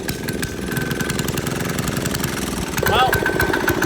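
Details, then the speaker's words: 196cc single-cylinder diesel engine (Amazon) on a GoPowersports mini bike, before turbo fitted, at max throttle: loud fast clattering knock about 3.5 beats per second, tractor-like; diesel clatter, very slow. "honestly this thing kind of sounds like a tractor and it looks about as slow as a John Deere"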